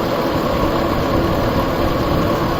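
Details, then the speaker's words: Old warehouse exhaust fan before replacement of its blower bearings and motor: steady fan roar with a rough, gritty bearing rumble running underneath at constant speed; the blower bearings are worn. "lot of bearing noise all right so that's before"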